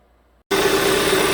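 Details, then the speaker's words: 2014 Hyundai Sonata 2.4, towed in with flashing MIL, power loss and code P1326 (excessive knock), codes cleared: engine starts and settles into a steady even idle with faint constant whine and no knocking; sounds healthy. "Anyways, we're going to start it up and listen to some engine noises if there was any kind of knock in this thing. I never heard anything when I drove it."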